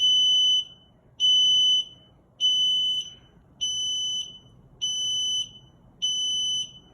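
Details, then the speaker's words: Sunlit power wheelchair, joystick hand controller switched on in electric mode: two short then seven long high-pitched beeps, about 1.2 s apart, a joystick failure code; replace the joystick or the chair. "so as you can hear it's two short beeps and seven long beeps which is showing from your troubleshooting manual it is showing that it is a joystick failure"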